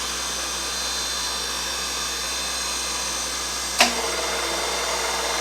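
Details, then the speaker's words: New replacement motor on a Reid 2-B surface grinder, lines two and three swapped to reverse direction: even high-pitched whir, a single clunk as the power feed engages, then smooth steady running; motor healthy. "motor's still running that's good"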